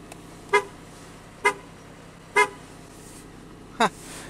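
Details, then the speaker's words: 2001 Pontiac Aztek GT, 170,480 miles, revived after sitting a year: four short, loud, full-toned horn blasts about a second apart. The horn works and sounds stronger than on the owner's other Aztek. "horn on on my other Aztec sounded different this this sounds like a real horn the astok had like some wimpy horn"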